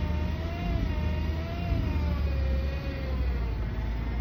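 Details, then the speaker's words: Chrysler/Dodge automatic transmission, fluid level checked and good, noise appearing after re-warming: steady mid-pitched whine over a low engine rumble; transmission whine, clogged filter suspected. "That whining noise is the transmission."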